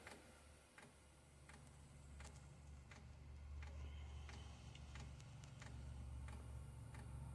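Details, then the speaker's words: Diesel heater start attempt on 100% biodiesel: sharp pump ticks about every 0.7 seconds over a low hum, pump speeding up as it tries to fire in the burn chamber. Smells of french fries; normal fuel metering. "now so I can hear it attempting to fire up in the burn chamber pump's getting a bit faster I can smell veeg I can smell like french fries"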